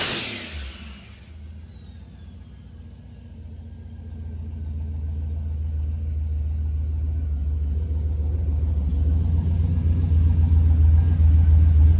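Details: Turbocharged SBE Dodge Dakota R/T on a dyno (hum is the dyno), boost turned up a little, around 660 whp: deep roar building evenly at full load with no stumble or break-up after ignition work.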